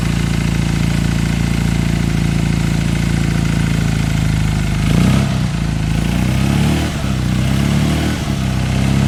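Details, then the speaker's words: Classic Fiat 500 with an upgraded 695cc engine, first run after the rebuild: a steady low putter at a fast choke idle, a couple of blips partway, even firing throughout; normal idle on choke. "oh that's not a bit of Choke is it"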